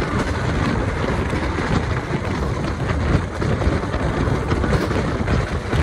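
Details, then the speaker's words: KA Jaka Tingkir new-generation retrofitted economy coach on the Jogja route, rear seats, at speed: loud constant roar with rumbling wheel and rail noise, no distinct knock or tone; much noisier than other trains. "Kayaknya pas saya naik Banyu Biru dan apa ya oh gbmsak Baru Malam Selatan itu gak terlalu berisik-berisik banget deh ini berisik banget ini apalagi di kursi yang belakang ya"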